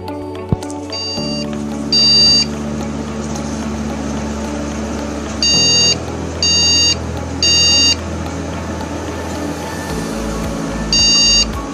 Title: ✅🖥️Beep Code: RAM Cards Removed | beep codes | 1 long beep 3 short beeps | ram beeps 3 times #viral✅